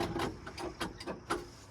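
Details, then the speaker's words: Old International crawler diesel: sluggish, uneven cranking at about four labored turns a second that never catches; the battery was drained after the battery shutoff was accidentally left on. "Okay. I guess that battery needs some help."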